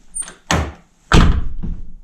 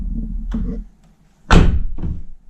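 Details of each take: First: 2009 Nissan R35 GTR driver door, before repair: solid thunk then short tinny buzz-rattle from the lock area just after closing; suspected loose security plate or lock. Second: 2009 Nissan R35 GTR driver door after repair, something jammed behind the loose plate in the lock area: a couple of solid clean thunks with no buzz or rattle; door closes quietly and tight.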